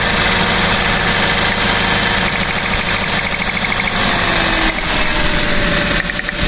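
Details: Car after new spark plugs fitted, plug leads swapped out of 1-3-4-2 firing order: rough shaky idle with uneven stumbling beats under loud clatter, misfire from crossed plug wires.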